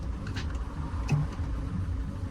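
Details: 2018 Citroen Relay diesel van at about 120k after new clutch and starter motor: steady, low, even idle rumble without the clutch rattle heard on a similar 126k van; normal quiet idle.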